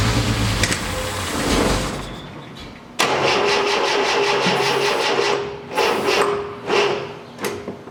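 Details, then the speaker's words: 1973 Triumph TR6, engine not started in 2 years: several sluggish cranking bursts that stop without catching; owner suspects weak starter and plans to replace it. "okay so looks like web combinational issues here with the engine and obviously it's possible because this engine hasn't been dusted so I'm thinking first of all would have a week starter first of all I'm gonna change the start the other started here to this"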